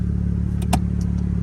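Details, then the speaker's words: 1987 second-generation FC Mazda RX-7 rotary engine, in great shape: a low, smooth and even hum with no knocks or misses; the engine runs normally. "so that leads to a much higher rev line as well as it being extremely smooth smooth through the entire rev line"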